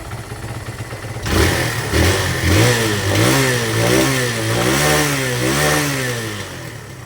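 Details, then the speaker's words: Barako 175 motorcycle, cold engine, after fixing overflow and hard starting: new float valve seat, carb tuning, valve clearance, cleaned tank and air filter, plug cleaned. Fires on one press, revs smoothly, settles into an even idle. "Bang Click hindi na siya mahahirap buhayin mga lods. An yan easy click na siya mga lods. Madali na siyang buhayin eh."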